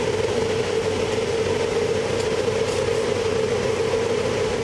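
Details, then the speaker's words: 1412 BS6 diesel truck with fault codes P0403, P0405, P042E (EGR valve stuck), which would not rev past about 10 RPM (poor pickup), revving steadily to full after soot mass reset and code clearing; smoke shows as soot leaks, new silencer pipe fitted. "तो दोस्तों ये गाड़ी पूरा भी race हो रहा है और यहाँ पे धुआं भी मार रहा है क्योंकि सूट मास जो है लीक हो रहा"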